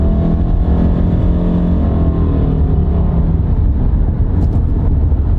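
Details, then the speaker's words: Used car with CVT transmission and original struts, driven on bumpy roads: strong, even engine pull climbing smoothly under full throttle over road rumble, no knocks or rattles; engine and transmission in good shape though it burns some oil. "not bad at all the transmission's in good shape the engines good shape"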